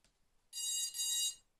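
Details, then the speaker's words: Quadcopter with HobbyKing control board v2.1, four ESCs after throttle calibration via the board (pot at zero, throttle lowered): steady high-pitched tone nearly a second long, dipping midway, repeating in a loop; cause unknown. "Ça fait ce bruit. Et je sais pas. Et ça continue en boucle. Plus un bip en plus, et au bout d'un moment."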